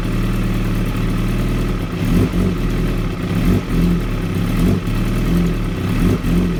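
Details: 2016 Kawasaki ZX-10R with a very rough idle: uneven, lumpy, surging and sagging every couple of seconds instead of holding steady.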